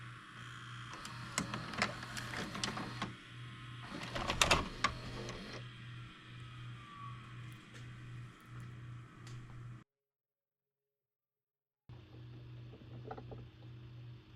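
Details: Cheap late-model DVD/VCR combo under repair, test tape inserted; steady motor whir with rhythmic ticking and clicks about three per second, then a pause during eject; normal VCR eject mechanism.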